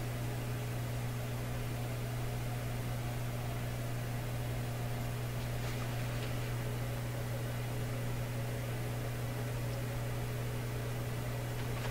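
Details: Canadian Admiral J104X/J105X console amplifier after adding an extra filter capacitor: loud, steady low hum at a fixed pitch over faint room noise; mains hum source still being traced, cause unconfirmed.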